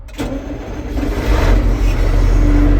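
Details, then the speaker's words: John Deere 8760 tractor with 6,700 hours, old but tight: quick crank, catches at once and settles into a steady, even diesel idle with no knocks or stumbles; normal start and idle. "Oh yeah, good old John Deere starts right up."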